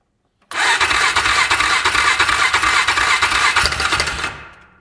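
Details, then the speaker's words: UTV engine started after work with Chinese eBay parts: runs about four seconds with a light, fairly regular tapping on the idle before shutting off; seems to come from the top end, valves look normal. Top-end tapping noise. "Did y'all hear that tapping? It's not a good sound, but it did sound like it was in the top end."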